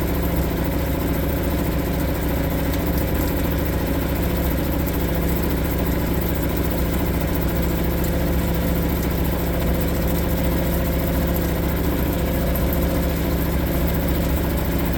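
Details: Suzuki DF 2.5 HP outboard, warm-started without choke in neutral after a no-start blamed on the low-oil sensor; steady idle with an even, unbroken putter, no knocks or misses. Healthy.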